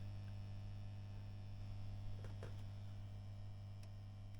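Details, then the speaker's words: 1990s Fender Twin tube amp in a custom head cabinet, being serviced: transformer a little noisy on standby, hum slightly amplified when switched on from standby, plus intermittent crackle from the tubes. Owner suspects the tubes and notes the cabinet has no internal screening. "Transformer does seem a little bit noisy on there. You can hear, and when we switch on from standby, slightly amplified. We've also got some other noise coming from these tubes."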